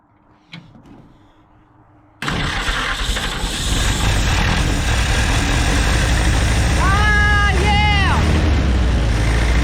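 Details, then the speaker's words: 1946 Jeep Willys CJ-2A after sitting for years, running on original carb; after a quiet start it catches at two seconds and runs steadily with no misses: normal running. "yeah it'll run let's see if I can get to run longer"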